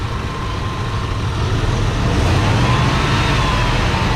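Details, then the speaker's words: Free go-kart small engine: a thin steady whine over the rumble, rising slightly with revs; first thought to be a wheel bearing, now the owner suspects a tensioner or idler pulley going out, unconfirmed. "That whine's from somewhere else. Now, could it be, you know, like a pulley you know, tensioner pulley, idler pulley, one of those things going out, it could be."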